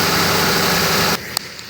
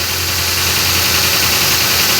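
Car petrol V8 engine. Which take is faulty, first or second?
second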